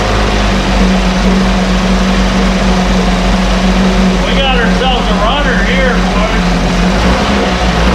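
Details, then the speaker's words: 1968 Evinrude Fastwin outboard, run in a test tank with no work done after purchase; steady, even two-stroke burble with constant low hum, no misses or knocks; normal idle, runs like a top. "wow whoa folks i'm impressed this this whole thing runs runs like a dang top"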